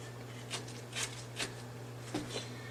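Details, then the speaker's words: NuVinci N360 bicycle hub, about three years old and worn, in its highest overdrive position: uneven sharp clicks, about five in three seconds, over a low steady hum; internal gear hub clicking, operation seemingly not yet affected. "it's on its last legs started making a clicking sound and it's in its highest overdrive position I don't like it doesn't sound good"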